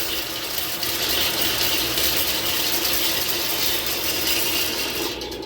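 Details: Sewer main that backed up again three weeks after snaking, just snaked clear: loud, steady rush of water pouring freely down the line with mechanical rattling in the background; the main now drains, though root intrusion remains.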